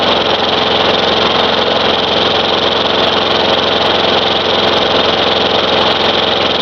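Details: Craftsman 4.5 hp Tecumseh mower that had diesel in the cylinder, running after the fouled spark plug was cleaned: a steady, even single-cylinder buzz with no misses or stumbles, while smoking blue. It runs.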